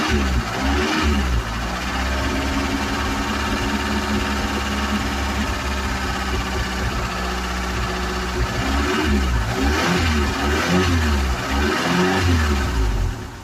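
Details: Ford Cortina: engine catches and revs, then settles to an uneven, lumpy idle with a wavering beat; still running a little rough, cause not yet found.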